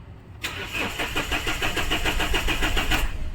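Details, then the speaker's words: Mahindra Xylo: starter turns steadily about three and a half compressions a second for three seconds, engine never fires; scanner shows P0340 camshaft sensor no signal, wiring to be checked. "Scanner में वापस read करेंगे तो यहां पर वापस से cam shaft cam shaft sensor no signal का error का फॉल्ड कोड आया p0340"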